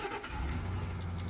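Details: 2007 Ford F-350 Super Duty 5.4L V8 with no-crank/no-start fault, restarted in park while checking duty cycle with scan tool: brief crank, catches and settles into steady low idle, key jingle; normal start.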